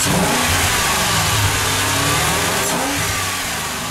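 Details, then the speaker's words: BMW 535ia after engine reinstallation, now at operating temperature with cooling system bleeding finished: smooth, steady revving with an even note; earlier hydraulic lifter clatter has gone and the engine runs quiet and clean. "ça commence à devenir plus silencieux et le moteur est arrivé à température mama ce qui nous permet de clôturer la purge"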